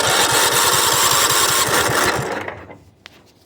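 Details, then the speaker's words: Craftsman riding mower long sat in garage, started on 12-volt boost after freeing sticking starter Bendix with penetrating oil, no fuel line hooked up or gas: catches and chugs evenly about two pulses a second, then dies; it's a runner. "well it's a runner there it would be the gas line ain't hooked up there ain't no gas in it I'm running to the corner get some gas she sounds good"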